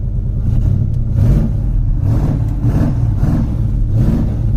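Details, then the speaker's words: Classic Ford Mach 1 Mustang with a carbureted V8, a Copart run-and-drive car, revved several times just after starting. The deep, loud engine rises and falls smoothly with no knocks, misses or rattles, a normal, healthy rev. "She sounds good, man."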